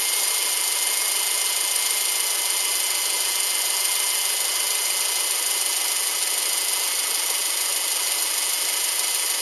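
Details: Subaru Outback EJ253 flat-four after rebuild: steady even idle hum with no knocking or ticking, sounds healthy.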